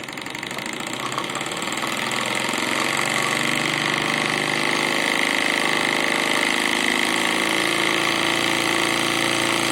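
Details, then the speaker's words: Small compound steam engine on about 1 bar boiler pressure: soft, even chuffing about four beats a second over a steady hiss, turning slowly but smoothly; normal running at low pressure. "Mais, comme vous le constatez, cette machine tourne tout doucement. Et regardez la puissance qu'elle peut délivrer à 1 bar déjà."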